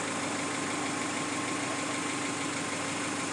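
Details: Chevy Tracker after alternator replacement, battery reading 12 V, 14 V while running: engine catches and settles into a steady, even idle with no knocks, misses or squeals; healthy normal idle.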